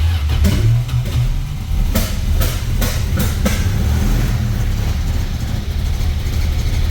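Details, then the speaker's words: 1978 Dodge Aspen, sat eight years, fresh oil with Marvel Mystery Oil, building oil pressure: low loping idle with uneven beat and periodic skips, a couple of cylinders dropping out; misfire at idle. "Oh, all right, we're building oil pressure now, but it's still skipping. It's cranking. I mean, even though it's skipping, it's cranking."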